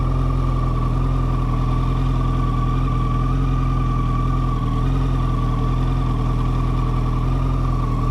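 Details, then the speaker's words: Yamaha FZ1, believed 2014 with under 10,000 miles, idling, phone recording: thin steady high whine above a smooth four-cylinder idle, barely changing pitch; possibly the same whine as a 2008 FZ1, and whether it is normal is unknown. "he posted a video of it idling, and granted, it's a phone recording, so the audio's not great, the video's not great, but I do feel like I hear the whine noise."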